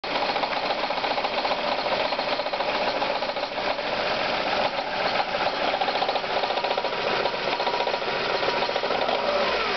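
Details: Ford Zetec petrol engine idling: fast, even tapping knock throughout, present at start-up and at operating temperature, grown from barely noticeable to alarming; cause unknown.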